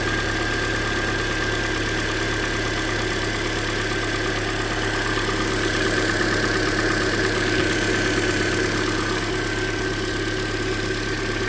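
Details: 2013 Hyundai Elantra at about 100,992 km, near its yearly oil change: steady idle with a light, even tick about three per second at cylinder 3, loudest via stethoscope on the middle third bolt; owner suspects something deeper than the lifters, possibly piston slap.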